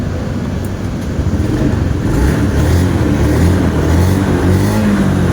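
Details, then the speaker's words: Honda Beat scooter after repair running with a steady low drone and no scraping from the belt side; the CVT had rubbed the timing guide bolt due to a missing washer, now refitted; ignition switch wiring also fixed. "bale nagkaroon ng problema sa kanyang ignition switch ta wiring na rin natin then yung panggilid niya tahimik na anan all goods na"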